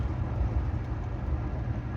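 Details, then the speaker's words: 1992 Dodge Dakota V8 with a new Spicer U-joint replacing the failing one, cruising at about 40–45 mph: steady low engine and road rumble, no clunks or knocks; driveline is smooth and normal after the repair. "It's reading 50, so it's really 40 45. I don't hear anything crazy. Do you?"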